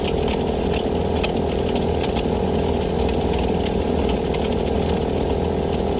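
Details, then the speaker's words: Vevor air compressor that had stopped pumping air, now fixed by replacing the gasket; the reed valves are good. It chugs steadily about four beats a second while pressure builds normally. Owner suspects a bad bearing. "oh yeah see the pressure going up yeah that's it it's fixed"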